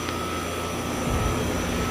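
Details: Condensing unit on a walk-in freezer after replacing the old compressor with an internal leak, with the line set supported to reduce vibration: an even, steady hum and fan rush with a faint constant tone; smooth, healthy operation.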